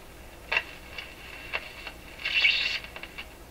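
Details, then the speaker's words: Rogers 11RA651 shortwave tube radio during paper/wax capacitor replacement, powered on dim bulb, no antenna, volume down: faint scattered crackles and hissy bursts from speaker; source not yet found, possibly volume control or a suspect capacitor. "Volume's right down. So we're listening now for crackling."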